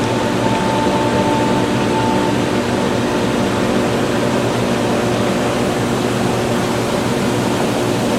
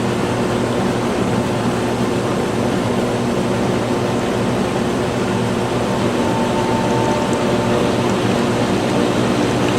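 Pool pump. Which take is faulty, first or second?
second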